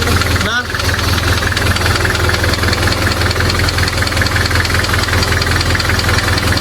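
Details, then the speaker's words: Nissan Terrano project car idling after the valves were opened and adjusted three times (tight, loose, semi settings): light, fairly regular tick about once or more per second persists, pointing to the valve train; more clearances to be tried. "Okay, so guys, so kung nakikita nyo, pangatlong beses na namin binuksan ni Sir Chuk itong mga barbola ni Terano. Ang kaso talagang hindi mawala-wala yung ingay na yan."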